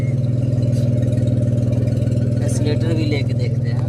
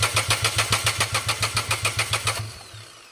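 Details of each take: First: Renault Kwid, after fitting an accelerator pedal from another car in place of the faulty pedal: a steady, even idle and a clean rev blip that settles back without hunting; the rpm is now normal. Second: Renault Kwid (DTCs 033564, 0313F8, late starting, heavy misfire) cranks and catches unevenly for a couple of seconds then stalls again, with injectors dead and replacement injector faulty; an ignition coil was already replaced.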